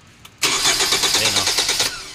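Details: Hyundai Tucson, previously repaired ECU and no stored codes: starter cranks steadily about a second and a half with even compression pulses but never catches; no fuel reaching the engine-side line, fuel pump to be checked.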